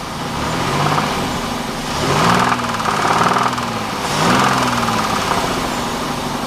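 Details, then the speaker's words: Pontiac Bonneville 3.8 V6 idling unevenly with a hollow knock and light clicking on each firing beat. It began about 15 minutes after a hard pull through gears 1–2 onto a highway. The owner suspects a bent rod or a bad rocker arm; there is coolant in the oil and oil in the coolant. "about 15 minutes later I started to hear it clicking and it sounded like knocking so I'm hoping it's not a bent rod"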